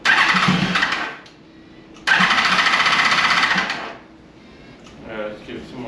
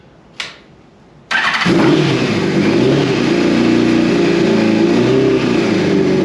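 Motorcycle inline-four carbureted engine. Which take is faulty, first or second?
first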